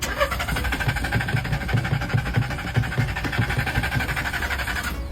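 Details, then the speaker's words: Secondhand car that won't start at night but starts by day; throttle and nozzles cleaned, spark plug and pump already replaced without fixing it. At midnight the starter cranks steadily about five seconds without catching; cause unconfirmed. "this car won't start at night no matter what but during the day everything works fine"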